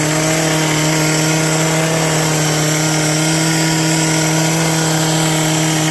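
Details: Old two-stroke hedge trimmer revived with on-hand parts, new cut air filter fitted, mixture screws not yet reset, cutting bush: steady high buzzing drone holding even revs under load, no misfire or surging; noisy and vibrating but healthy.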